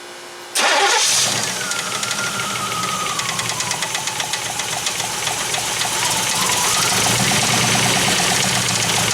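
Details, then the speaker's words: 3rd gen Pontiac Firebird with freshly rebuilt 1985 Quadrajet carburetor, timing not yet set: engine catches and settles into fast idle with light quick ticking; aftermarket polished aluminum valve covers suspected hitting rockers. "about these valve covers hitting the rockers. That's a possibility."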